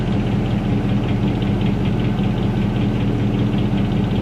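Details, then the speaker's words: 2003 Dodge Ram 1500 Hemi V8, original engine and transmission, 390,227 miles, started after sitting four days at about 55°F: warm idle with a steady deep low knock, two to three per second, from low in the engine; owner suspects a rod knock that is getting louder. "you hear that low knock knock knock knock knock knock knock knock that's that rod giving it hell down there"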